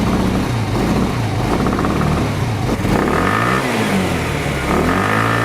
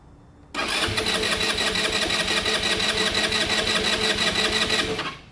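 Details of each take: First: Genuine Buddy 125 scooter, first start after carburetor cleaning/rebuild: quick blips rising and falling cleanly, then even steady single-cylinder idle; healthy. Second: Genuine Buddy 125 scooter after carburetor rebuild, fuel drained, vacuum petcock; starter churns at about three beats a second without catching, as the empty float bowl has not yet refilled.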